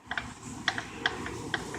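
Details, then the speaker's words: Stock 16hp Briggs & Stratton Vanguard V-twin, just revived, made bottom-end noise when run. Turned by hand with the engine off, it gives sharp irregular clicks and clunks; owner suspects a rod knock or loose rod cap. "ran it noticed selling was making a little bit of bottom end noise shut her down"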